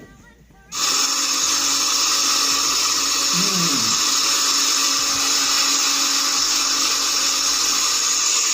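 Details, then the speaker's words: Komatsu PC200-8 / SK200 excavator diesel running after all six injectors were replaced, error codes CA559 and CA2249 shown; loud harsh steady roar with a rough edge, abnormal noisy sound alongside black-and-white smoke, cause not yet found. "Kalau teman-teman jeli ya, pertama asap hitam campur putih, kedua suaranya abnormal ya, suaranya abnormal sebenarnya gitu ya."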